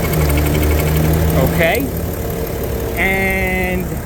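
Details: 2010 BMW 335d diesel, 168 (units not stated) mileage, warm idle near operating temperature with the oil cap off: a steady, even diesel idle with a smooth low rumble, no knocks or rough patches; a healthy engine.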